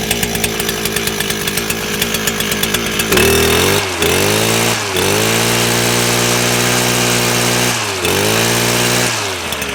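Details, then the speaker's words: Stihl FS400 brush cutter two-stroke, repaired with a Chinese carb, warm with no choke; ticks over evenly, then picks up crisply in repeated rev bursts and drops back cleanly; normal idle and revving. "so it has been started up today so it is actually a warm so i won't even choke or anything but you can just hear it run and tick over"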